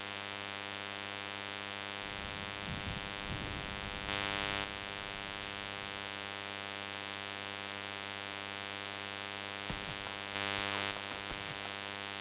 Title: shadowplay buzzing sound